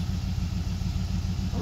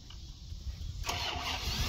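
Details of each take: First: 1990 Dodge Ramcharger 2WD, revived after sitting in a junkyard since about 2014, finally running: deep, even idle with a steady low rumble and no misses or knocks, idling like a dream. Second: 1990 Dodge Ramcharger 2WD, sat in a junkyard since about 2014, new battery, after a small engine fire: starter churns steadily for several seconds but engine never fires; owner suspects no fuel from the fuel pump and bad old gas.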